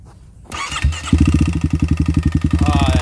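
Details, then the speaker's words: Kawasaki KLX351 after hard riding, idling: loud heavy clatter about four times a second from the top end rather than bottom end; owner suspects failed stock cam chain tensioner. "I really can't tell what that is. It doesn't sound like it's bottom end. If it's top end, that means our cam chain tensioner could have failed, which is bad, maybe good, because that's a stock part."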